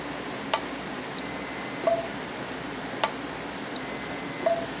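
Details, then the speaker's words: Home-built keying box for an HF tube amplifier, connected inline and keyed by a handheld CB, with a multimeter on ohms across the output. Two sustained beeps about 2.5 seconds apart, each with a faint click, confirm the relay closes and continuity is present. "I turn on the box. All right, you'll probably even hear it click."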